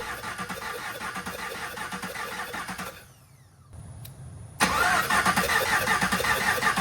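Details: 2021 Camaro SS V8 during a heads-and-cam build, cranking: the starter turns with an uneven, lopsided rhythm of about three beats a second and no firing. Several cylinders have no compression because the pushrods, the 8-inch ones chosen, turned out too long.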